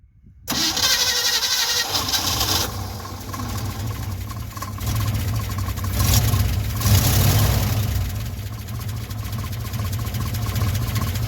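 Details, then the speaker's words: 1957 Chevy 5400 truck, timing just adjusted, pulling away in first gear: a low growl with a faint steady whine from the straight-cut first gear, which is normal. "the the growl you hear the little wine is the straight cut first gear"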